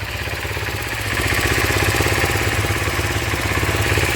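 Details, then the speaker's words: 1986 Kawasaki 250R Ninja (Targa) after new carburetors, parts and baffles fitted: steady evenly pulsing idle about three beats a second, no misses; runs well, needs minor adjustment. "Sounds pretty good. Going to have to do a little adjustments, I think, just to kind of get it right where we want,"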